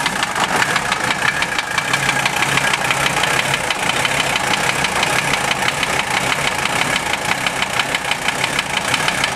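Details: Mercedes OM617 diesel swapped into a Toyota, warm after 2-3 minutes, idles with a sharp regular knock over the clatter, about two a second, roughly at engine speed; valve adjustment and cracking injectors didn't change it; owner suspects piston/connecting rod, unconfirmed.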